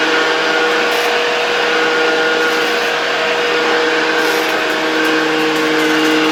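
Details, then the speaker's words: 1972 Hoover 1346A vacuum cleaner, fully reassembled and test-run in the workshop without a dust bag: smooth, steady motor whine at constant pitch with no rattles, scraping or speed dips, so it runs fine. "a potem będziemy mogli przyjrzeć się „poważnemu” odkurzaniu tym odkurzaczem, bo dzisiaj właśnie sprawdziliśmy, że po ponownym złożeniu po prostu działa."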